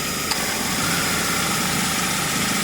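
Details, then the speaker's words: Ford Focus, 93,905 km, 10 years old, noisy A/C compressor with oil leaks, after flushing lines, new O-rings, expansion valve and drier, original compressor kept, engine idling: smooth hum and airy hiss, noticeably quieter; compressor normal. "คอมทำงานนะครับเสียงคอมแอร์ก็เบาลงนะครับเรียบลง"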